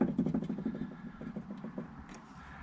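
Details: Mk4 VW Golf TDI PD130, front suspension: faint quick dull knocks, several a second, as the anti-roll bar bush is levered with a pry bar, then quiet; thudding traced to worn front anti-roll bar bushes, being replaced.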